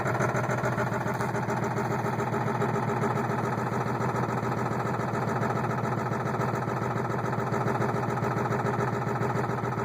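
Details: 7.3 engine hard start: steady, heavy rhythmic churning at about three and a half beats per second that never catches and runs, a long hard crank.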